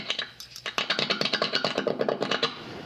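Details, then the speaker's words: Epiphone Les Paul 100 electronics tested during setup by tapping through the amp; quick even taps with no scratchy crackle, so pots are clean and deoxidizer spray isn't needed. "so I'm tapping I think you can hear this I'm not hearing any scratchy"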